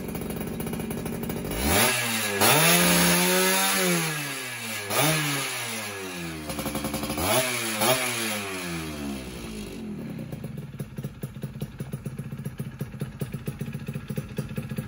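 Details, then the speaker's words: Rebuilt motorcycle, carburetor setting apparently dialed in: clean quick revs falling back crisply, settling into a steady popping idle; owner still wants a road test to confirm carb tuning. "Alhamdulillah sih aman aja. Ntar tinggal cobain di jalan deh."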